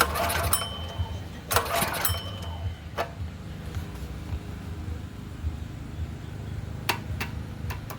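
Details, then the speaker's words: Predator 212 small engine, choke on: two quick recoil-pull rasps with no firing, low rumble behind; no start as fuel isn't reaching the carburetor, bowl dry. "We are gonna have to get fuel up to it though. If we don't get fuel to it, then it doesn't matter."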